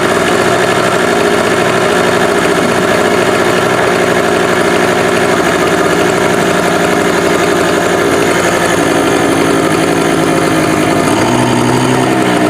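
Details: Cheap inverter generator after a year stored in humid barn, fresh gas and stabilizer added: steady buzzing drone at one speed, no misses, surging or hunting; running normally.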